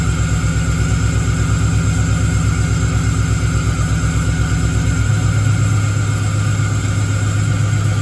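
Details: Engine-swapped Camaro with a 6.0 V8 at its first start after the swap, with the tune still being sorted: a lumpy, uneven idle with irregular low thumps that stumble and drop, popping and banging. Misfire from a miswired coil harness.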